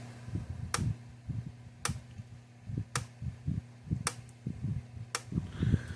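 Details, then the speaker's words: Gallagher MPE2 electric fence energizer during ground fault test, ground-tied wire touched to ground terminal: sharp single clicks about once a second, constant loudness, unchanged as expected; pulsing normally. "In theory, this unit should not change. You should still hear it pulse, and it shouldn't get any louder or softer."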